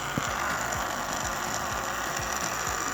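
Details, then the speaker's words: Older laptop sitting in its BIOS with the fan spun up. A steady high whir with a fast, regular ratcheting tick; the fan is very loud but still blowing hot air, and it is unclear whether it is broken. "it's still blowing out hot air so I don't know if it's just sounds like that or if it's broken"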